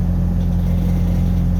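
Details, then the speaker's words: Pickup truck just started after reconnecting the MAP sensor to the correct port, previously idling rough: deep, steady idle rumble with even beat, no knocks or hunting; running smooth, owner suspects the wrong port caused the rough idle. "actually i might not even do that because it because it just started up and it's running smooth"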